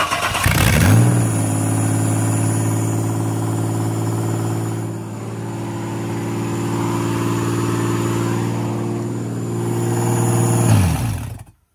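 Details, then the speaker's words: Ford Falcon AU, after bolting the manifold back up and reconnecting the O2 sensor, idling too high at around 2,000 rpm: a steady, even drone well above normal idle that never settles; cause unknown. "yeah we're just going to see if it idles properly now not at like 2 Grand"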